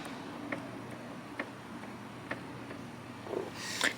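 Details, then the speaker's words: Kei mini truck with excessive crank and rough start: carburetor fuel-cut solenoid energized gives soft, crisp clicks about once a second; normal solenoid click, connector corroded and being cleaned. "it's clicking a little bit let's take this cover off"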